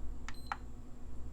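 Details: PS5 Digital Edition with a replaced HDMI port, listed as needing an HDMI encoder: two quick beeps in a quiet room with side panels off, then nothing. No fan spin-up; it beeps at power-on and shuts straight down, with a blue light for about a second.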